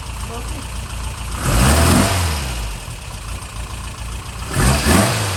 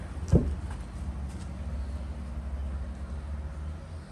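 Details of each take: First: Freshened real Porsche flat-four in a Speedster replica, started on the second try, with fuel pressure checked at 2 lb; it cranks, catches and settles into a steady, even idle with a couple of blips. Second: Porsche Speedster replica with a freshened real Porsche engine cranked in neutral with the battery charger boosting the starter and 2 lb fuel pressure; it churns but never catches because the ignition coil was left unhooked, so there is no spark.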